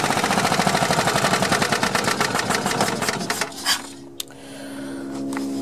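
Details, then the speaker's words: Long-stored Yamaha G2 gas golf cart running on old, bad-smelling fuel after the fuel pump was confirmed working: quick uneven popping from the single-cylinder for a few seconds before fading out; running rough, cause unknown. "i know it's running kind of crappy but i think it's enough to move us around"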